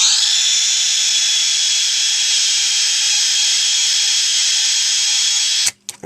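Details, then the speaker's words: Amstrad CPC 464 cassette deck after cleaning and service, motor running during rewind and playback: a steady, even high whir with no wobble or grinding that cuts off cleanly at stop; unit working nicely. "that's actually not sounding too bad really so that um the actual unit seems to work quite nicely"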